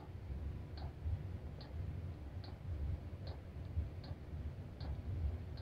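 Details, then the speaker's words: Cheap Chinese diesel heater at a cabin, restarted after burning about 4.5 L of diesel overnight. Soft even dosing-pump ticks about every 0.8 seconds over a quiet room as it fires up and the exhaust warms; clicking is normal. "sounds like it's fired up now starting to feel some heat on the exhaust that's good there we go sounds like it's going good now"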